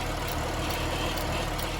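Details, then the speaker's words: 2010 GMC Acadia 3.6 L after timing chain, sprocket and VVT actuator replacement plus new radiator fans, idling while bleeding air from the cooling system: smooth low rumble, no knocks or misses, with audible brand-new Bosch high-pressure fuel pump sound. "And you can hear that high pressure pump, you know. Kind of a different sound I've never heard on an engine before. It's a brand new pump, it's a Bosch pump,"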